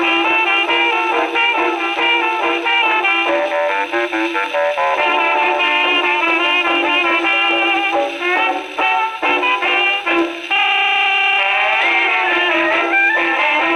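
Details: Second HMV No. 4 reproducer, just rebuilt, comparison test on Victrola VV-50 with brand-new mainspring: clear, full brass-band music, no rattle, buzz or blasting on loud notes; tracking and playing cleanly, a decent reproducer.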